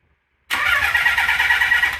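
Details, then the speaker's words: Nissan 300ZX non-turbo converted to twin turbo and manual, before first fire-up, cranking in neutral to circulate oil: brisk even compression beats, no catch; compression sounds healthy. "yeah sounds good sounds like she's pumping compression and everything"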